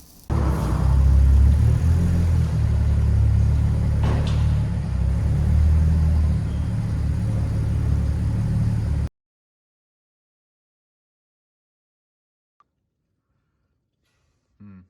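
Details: Audi S4 B8.5 3.0 TFSI V6 on the lift, revved after metal had been found previously: fast, fairly steady tapping over the rumble; chain or bottom-end fault suspected, engine to be removed and stripped.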